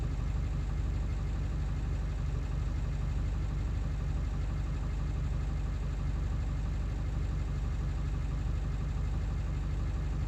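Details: 7.3 diesel still idling rough after ICP sensor replacement: low, lumpy idle beat around three pulses a second instead of a smooth rattle; cause not pinned down.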